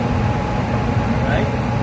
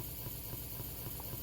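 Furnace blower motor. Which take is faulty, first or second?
second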